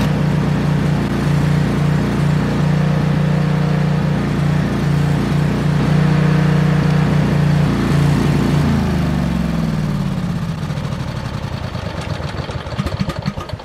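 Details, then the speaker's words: Briggs & Stratton Vanguard 10,000 W generator engine running on ethanol-free gas: uneven pulsing drone, RPM bouncing up and down, then winding down at shutoff; surging, power head believed fine. "it's producing power it obviously starts it's surging so I suspect that the power head is probably in great shape"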